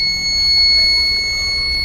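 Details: Solaris inverter PCB whose burnt circuit was repaired (7805 regulator and filter capacitor fitted, relay section fixed): steady, unbroken high-pitched tone near 2 kHz throughout, with no other indication; continuous fault beep, cause not found. Crystal or microcontroller IC suspected, not confirmed.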